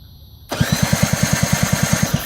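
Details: 50cc Shug Bear ATV quad with new 12 V CDI box, only one spark seen: quick even cranking thumps, roughly eight a second, for about two seconds with no firing; cranks but won't start, cause unconfirmed.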